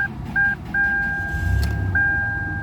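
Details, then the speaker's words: 2000 Toyota 4Runner after all-keys-lost immobilizer EEPROM reset and new key programming: steady low idle rumble under a few electronic chimes, starts and stays running; successful job, tank nearly empty. "vehicle does start up and stay running. Alright, so this was a successful Eprom job."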